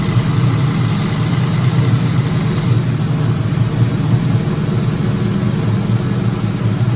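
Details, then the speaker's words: 2004 Ford Mustang GT 4.6 V8 being revived, first run with no coolant; even, deep, slightly high idle with no rattle or chain slap, quiet and healthy; normal idle. "all right guys success man she sounds quiet all right we won't let her run long because there's no water or nothing in there"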